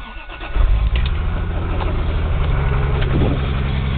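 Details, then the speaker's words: Toyota Supra 7M engine, bought used and installed, which knocks and blows smoke from the oil cap hole; cranks, catches and settles into a heavy lumpy idle with a low steady knock. Rod knock. "sounds like hell I know this is the way the motor was sold to me we've all heard it running in previous tests"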